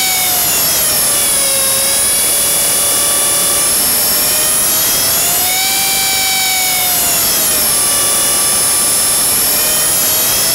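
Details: Blade 300 X in Idle Up, with weird twitches and loud noises: a high, loud whine sags and swells unevenly over a few seconds instead of holding steady. The cause is unknown.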